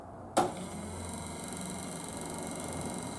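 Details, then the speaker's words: Triumph Spitfire wiper motor on an unmodified wiring block: no response in switch positions 1 or 2, but a click then a steady whirring hum when switched off, and intermittent does nothing. The washer squirter also fails; a wiring or switch fault is suspected. "If I turn it off,"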